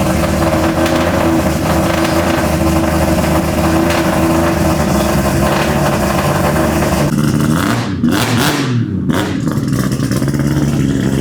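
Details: Volvo with a Mazda 3-rotor engine, after the new 4-inch exhaust replaced restrictive oval tubing. Deep, even rotary drone climbing cleanly under throttle blips, less raspy than before, with no rattle or misfire. Normal exhaust note.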